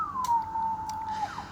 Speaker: Different relays are clicking in different bands, etc.